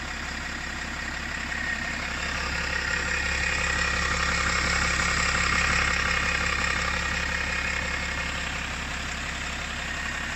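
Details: BMW 525d LCI with M57N2 diesel at idle: slightly uneven, shaky pulse about three times a second, engine cover vibrating; rough idle, owner unsure whether normal, cause unclear.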